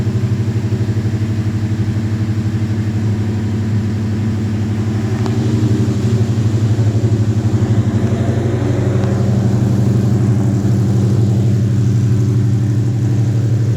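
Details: Foxbody Mustang with S550 Coyote V8 swap, new 2018 intake manifold, AED tune, Roush intake, BBK longtubes, pump gas: deep, even lope at idle, steady rhythm, no knocks or misses; normal idle.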